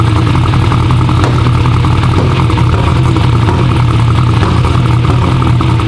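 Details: "Black Sheep" V8 race car at first fire-up runs rough and lumpy with uneven pops and stumbles; misfiring and popping from swapped spark plug wires. Crank trigger was suspected first.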